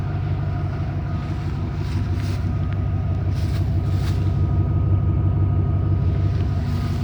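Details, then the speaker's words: Ford F-150 $500 farm-find pickup, idling just after start; steady low rumble with a faint regular puffing that fits an exhaust leak, smoke seen escaping. Exhaust leak at idle. "and it does have some exhaust leak when i started i see smoke coming from here"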